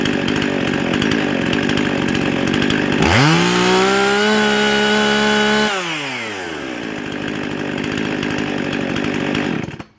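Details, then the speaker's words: Husqvarna 55 chainsaw that bogged when cutting and ran hot and fast: fires up and screams, then holds a fast, hot-sounding idle. High idle from a lean air leak at the carburetor gasket. "sounds like she's running a little bit fast let's get attack on there"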